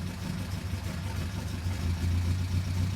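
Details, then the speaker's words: Datsun 1600 L-series engine on a dyno, with ECU ignition offset just synchronised. Idle rises as timing is released from 0° lock back to the ignition map: a low, even idle that swells slightly and steadies, picking up normally. "can hear the motor pick up. That's because it's going back to the ignition map now, rather than being locked on 0."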